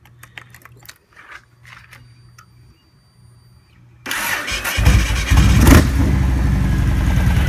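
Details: 2002 Yamaha Road Star Warrior XV1700, first start after about two years of storage, with a new battery, airbox removed and aftermarket exhaust: the starter turns briefly, then the twin settles into a loping, slightly uneven idle close to stalling. Rough idle after storage.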